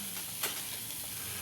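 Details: Mr. Coffee BVMC-SC12BL2 900 W coffee maker, full of water, after replacing the thermal fuse; drawing about 800 W: steady hiss and sizzle with a few pops as the water heats and starts brewing; heater working normally.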